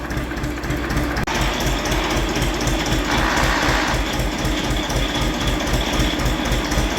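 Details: Diesel engine idling: a steady, quick dry rattle from the dynamo. Its bearings are broken and the pulley has play, it is not charging, and it is to be replaced with a dynamo or an alternator.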